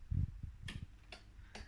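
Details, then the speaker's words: Miele W2839 washing machine in service test mode, component test M24 P2: a few crisp clicks about half a second apart as the detergent dispenser mechanism steps round drawing water; ordinary selector ticking, nothing wrong. "bakın deterjanlık tıkır tıkır ses gelmeye başladı su istiyor"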